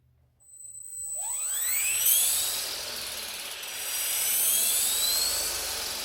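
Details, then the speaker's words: V400D02 RC helicopter on the bench after repair: rising whine as rotor spools up, then smooth, even high hum with no rattle; gear previously missing a cog and vibrating, now normal gear mesh. "and it doesn't have the vibration that it did you could kind of hear it in the gear you know when the motor was running it was kind of missing a cog there not doing that no more"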